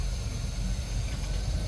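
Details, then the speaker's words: Old boat with Holley Sniper EFI, updated settings (IAC 10-15%), cold start at the launch ramp with outdrive down, key only: fires right up, deep steady rumble with even beat, no stumbling; clean cold idle. "so that fired right up now uh let's see if we have any stalling issues here at the ramp"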